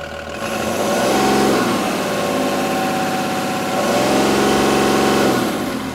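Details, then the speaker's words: 2017 Cummins B6.7 diesel engine on a training bench with EGR, DPF and SCR, just started: even diesel clatter at idle with two accelerator blips that rise and settle back cleanly, no knocks or misses; healthy engine. "so here we're firing up the engine I'm gonna give it a couple shots the accelerator pedal just for fun"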